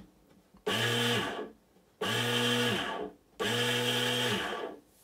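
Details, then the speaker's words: Bait boat motor after main bearing replacement, mounted in the boat without a battery, so sound echoes: three short runs spinning up to a smooth even whir and winding down cleanly, much quieter. Normal motor run. "now remembering this has got no battery or anything like that in it so the sound does echo a little bit but as you can hear a lot quieter"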